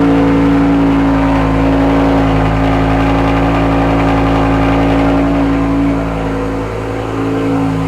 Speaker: M6 is running good again. Just a slight coil and plugs. Nice little tune-up.